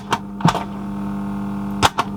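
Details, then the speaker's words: Silver ST3500 boombox cassette deck: thin steady motor hum with clicks as the transport starts then stops, typical worn motor sound; needs a new belt; rewind works. "typical motor wearing sound"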